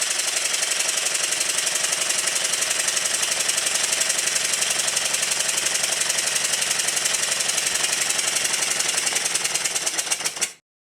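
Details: Stuart triple-expansion model steam engine running in on the bench, after the low- and high-pressure cylinder timing was set. Crisp, even chuffs at about four per second at steady speed: runs smoothly.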